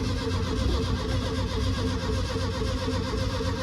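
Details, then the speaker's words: VW being tried with no fuel in the tank or carb: the starter spins the engine at a steady, even rate but it never catches or fires; cranks but won't start, no fuel. "I ain't put no fuel in the top, I've not got fuel in the tank, so it may take a while, if it turns over."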